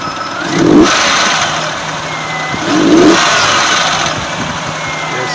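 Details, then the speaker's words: Nissan Frontier, VG33E V6 petrol, 183,000 miles, warm at 180°F, idling about 800 rpm then blipped twice: metallic rattle as revs fall back, from the hydraulic valve lifters. "can hear the rattling as the acceleration begins to drop that's telling us it's the hydraulic lifter"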